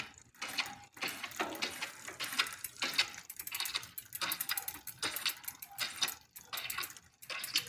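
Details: Smith First bicycle while pedalling: irregular scraping ticks about once a second, first blamed on the bottom bracket bearing; actually a faulty crank arm letting the chain rub the derailleur, fixed with a new Shimano crank arm.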